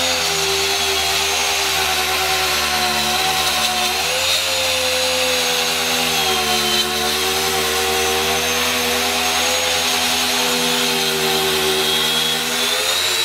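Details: Circular saw cutting stock at the limit of its depth capacity. Steady scream sags in pitch about four seconds into the cut and stays low as rpm drops. Burn marks left. Motor bogging under load.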